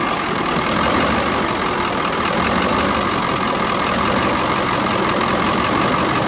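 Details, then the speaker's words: Brockway 358 truck, Cummins 555 diesel, after valve adjustment, adjusting loose injectors and tightening intake valves: steady even idle clatter, no skips or knocks, faint constant whine on top; idles healthy, much better than before. "so i'll be honest with you it sounds so much freaking better all i did was literally all that i really did was we just adjusted whatever injectors were loose and uh tightened up pretty much all the intake valves"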